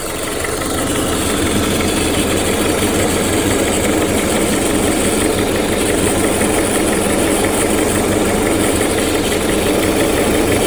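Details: 2001–2005 Honda Civic LX, strange engine noise when accelerating: uneven rattling whir over idle, loose rhythm around three per second, from a worn-out timing belt tensioner.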